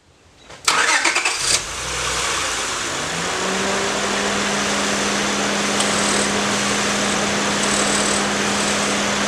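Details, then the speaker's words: Honda with power steering noise, after replacing the failed inlet hose O-ring and refilling with Honda fluid; engine cranks, catches and idles smoothly with only faint fan hum, no pump whine; normal power steering. "well that is pretty much no noise whatsoever fans kicked on all that so there may have been just a slightest bit of noise I didn't hear I doubt it though"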